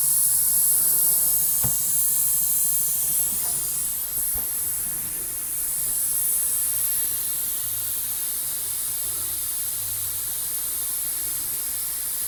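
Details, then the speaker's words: 45-year-old Vauxhall Royale coupé 2.8 L, rebuilt engine on first test drive: loud steady hiss of escaping steam over the engine, sounds like overheating and pressurizing; gauge hot but not very hot, cause unconfirmed. "That sounds like overheating."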